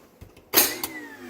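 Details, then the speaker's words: Newly installed American Standard kitchen garbage disposal: a sharp metallic bang right at switch-on, then a second knock before the motor settles into its whine. This hard clanking on startup fades as it runs; cause unknown, unit to be returned. "it's causing a a pretty extreme noise on startup it goes away as it begins to cycle through but on startup it's got a hard clanking noise"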